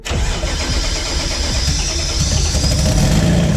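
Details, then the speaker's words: Twin-engine MX3 drag car, first start of rear engine after fuel pumps primed twice: catches into a lumpy, heavy idle with low burbling beat, smoking badly. Running rich. "she goes okay as you can see it's smoked really bad and that is because it's running rich because it's not easy finally yeah yes it runs"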